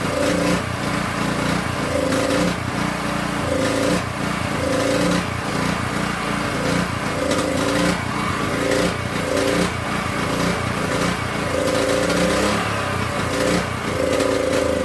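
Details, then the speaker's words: King Canada 3000 W generator that had stopped producing power after a pop, restarted after reassembling the front cover: engine pitch swells and sags roughly every second, never holding steady speed; hunting badly, surging idle. "Just before I get into the voltage switch, generator's hunting like crazy."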